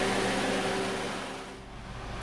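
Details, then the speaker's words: 2010 Honda Civic EX 1.8L sedan after A/C refrigerant recovered and recharged to correct amount (was overfilled): with A/C on max/high, idle holds rock solid, no hunting, surging or clutch cycling. Normal idle with A/C on. "with it on high the idle is Rock Solid no issues"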